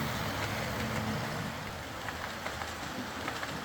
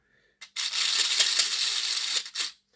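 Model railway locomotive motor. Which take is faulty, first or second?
second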